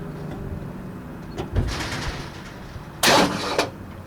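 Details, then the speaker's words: 1960 Ford F100 with transplanted 351 Windsor V8, not run in decades, starter jumped directly: starter churns engine over steadily then sharp bursts; engine turns freely, not seized, solenoid appears good. "Looks like the solenoid's good. Motor's churning over good."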